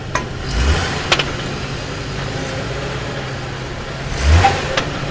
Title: Hummer H3 clunking sound